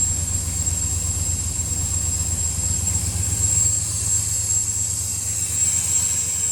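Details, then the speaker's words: Chevy Caprice box Chevy cold idle after three months sitting, battery terminal retightened; steady even low rumble with high fan hiss over it, no knocks or stumbles, healthy cold idle. "i'm glad you guys got to see the and hear the caprice run man it's been a long time since i heard that sound y'all so it was a pleasant sound to hear man she's running good"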